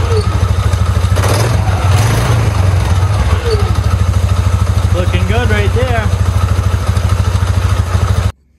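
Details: 2009 Polaris Sportsman 550 XP after a new clutch spring: an even, steady single-cylinder thump at fast idle with no knocks or rattles, running clean until switched off; normal idle.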